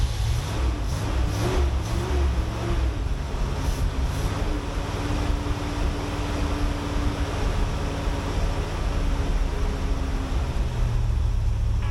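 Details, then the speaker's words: Corvette C3 V8 first start in 20 years on fresh gas after ether, about 80 psi oil pressure; low, uneven running with wandering rpm and a faint tone coming and going, won't idle; owner suspects a vacuum leak, not confirmed. "I think we do have a vacuum leak somewhere so I'm gonna try to check all the lines and stuff because it won't idle"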